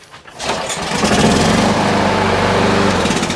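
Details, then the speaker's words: Lawn mower with a no-start/no-spark fault, after adjusting the micro switch, pull-started on choke: cord rattle, fires at once and settles into an even drone; fixed, starts cleanly. "So it starts and stops. Let's do it again. Just testing just for fail safe."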